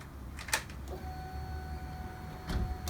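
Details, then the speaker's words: 2000 Honda CBR 600 F4i rebuilt with new rod and main bearings after the engine knocked; fuel-injected with no lambda sensor. Before start there are a couple of clicks, then the fuel pump hums evenly for about two seconds and stops, a normal prime. "Escuchamos la bomba, como inyecta."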